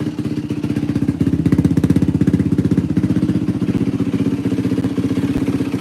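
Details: 2004 Yamaha WR450F single after carburettor rebuild kit, pilot mixture screw 2 turns out: crisp, even thump at steady idle, no misses or stumbles; runs great, float adjustment may still be needed if it leaks. Normal idle.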